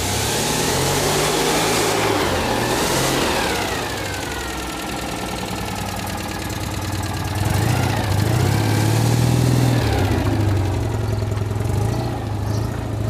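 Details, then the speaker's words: Citroën 2CV flat twin with newly fitted engine, on the driveway without bodywork, loud unsilenced chuffing idle then clean revving up and back down; carburettor jetting thought entirely wrong, still on old jets. Normal idle and revving. "Wow yeah pleased with that very pleased I see what she sounds like now beautiful take for joy"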